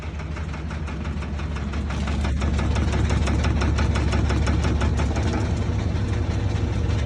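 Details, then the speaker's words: Washing machine with deep rumble and steady knock about three times a second: drain hose slapping the machine after its original clip on the rod broke; fixed with foam padding and re-clipping. "mangueira é o pior vilão então sempre tem que manter ela com espuma alguma coisa aqui o a presília original quebrou ó ela vai presa nesse varão bem assim e quebrou"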